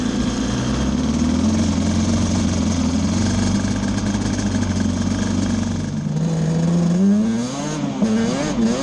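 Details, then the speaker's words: Yamaha Banshee two-stroke twin ATV after carb needles were moved back to the middle position: steady buzzing drone, then clean revs with no stumbling; misfire gone, it was running lean on a cool night. "I just got back off of a test ride and I feel like a complete idiot but the miss is gone so just moving the needles back up to the middle position straightened it out we're gonna take it for a spin now"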